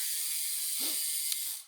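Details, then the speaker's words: Electronic rear derailleur after adjustment: a single short whir and click as the chain drops onto the next cog, then quiet freewheel ticking; the earlier noise is gone and shifting is smooth. "I hear that noise is all gone so once we're done with that let's push and hold that button the light's going to go blue and then it's going to turn off when the light turns off release the button and you can see you got a nice [Music] smooth shifting rear"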